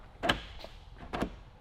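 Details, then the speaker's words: Lamborghini Murcielago LP640 central locking via remote: two sharp actuator clunks a second apart, lock then unlock; remote works only part of the time. "the remote only works part of the time you can hear it lock them unlocks and it unlocks"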